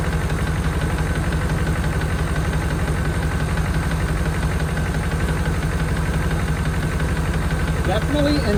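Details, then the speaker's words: 1992 Chevrolet Caprice wagon V8, sat in field, previously seized, first run after revving: steady idle with regular light tick about three per second from valve gear; owner unsure, suspects number eight rocker arm side, possibly bearing. "not sure what the nois is it's running very I think it's an aorn in there or something"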